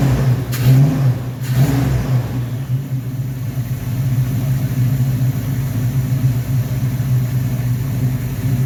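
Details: 1969 Corvette Rochester Quadrajet 7029202 carburetor, first start after rebuild (ethanol-damaged fuel bowl cleaned up): two quick throttle blips, then steady, even low idle with no miss or stumble; normal idle and revs.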